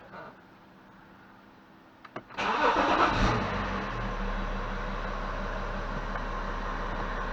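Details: BMW E70 X5 diesel, first start after fuel filter replacement and fuel system prime with a scan tool: brief crank, catches at once, settles into an even, steady idle.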